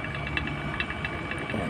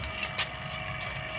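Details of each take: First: Refrigerator being evacuated through a manifold: steady vacuum pump drone with irregular crackling and gurgling as residual air is drawn from the evaporator and condenser; persistent noise can indicate a remaining leak. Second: Vacuum pump evacuating a refrigerator after an evaporator patch repair: steady, even drone with a constant whine and no gurgle or hiss of air; the system is pulling a clean vacuum.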